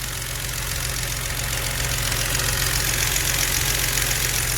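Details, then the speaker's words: BMW N52 engine, car sat about 2 years; idle has fast, fairly even light rustling tick about four per second that gets louder when warm; valve train knock, VANOS, oil pump and oil already changed without fix. "завели пошел вот такой вот тут шелестящий когда прогреется стук начинает сильнее"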